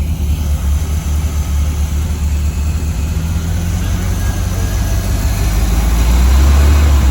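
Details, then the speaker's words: 1985 Chevy C10 305 V8 with new distributor, vacuum leaks taped over temporarily: deep loud V8 lopes unevenly, swelling with throttle, no backfire; owner suspects fueling, carburetor or vacuum. "that gives me f because it's not backfiring and it's starting up good now it could be fueling could be carburetor vacuum whatever"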